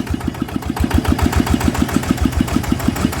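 Steady single-cylinder idle at about 200 beats a minute with no knock or rattle from the bottom end; bearings and gears sound fine.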